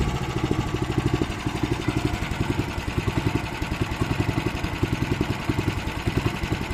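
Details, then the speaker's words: Weima single-cylinder engine with floating, hunting revs, uneven drifting beat, barely made it home; carburetor most likely suspected, possibly the speed governor; cracked fuel line found, fuel drained, carburetor to be removed and cleaned. "Як ви зрозуміли що є поломка де будемо шукати оберти плавають скорше за все це карбюратор"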